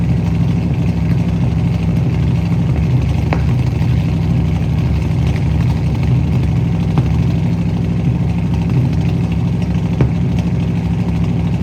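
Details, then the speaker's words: 1967 Ford Mustang V8 running again after new fuel sending unit, fuel lines blown clear and carburetor needle-and-seat fuel supply fix: deep, steady idle with even lope, no misses, stumbles or surging; normal idle. "it's running again. So, last thing I explained to you guys was that the car needed a sending unit put in."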